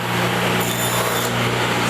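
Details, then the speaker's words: Craftsman 113 series table saw, over 40 years old, restored, motor had burnt-out bearings, after tightening; steady even motor hum with clean hiss through wood, no wobble or chatter: normal saw cutting. "smooth black butter"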